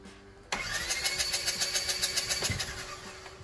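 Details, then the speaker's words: Polaris RZR 1000 that won't start: starter spins the engine with even rapid chugs for about two seconds, then stops; never catches or fires, a crank-no-start. "Customer states, "My Polaris Razor 1000 won't start.""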